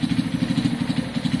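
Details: Kawasaki KSR motorcycle single after a top-end reseal, idling with a fast, even metallic clatter on the exhaust beat; something mechanical is loose, cause not pinned down.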